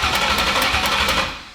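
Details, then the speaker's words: Freshly built Ford Fox-body with Coyote engine swap, first cranking to build oil pressure: sharp even ticks about four per second over the cranking, possibly spark-related, cause not pinned down. "What is that noise? I don't know. You guys hear it? Yeah. You hear that Clicking? ticking?"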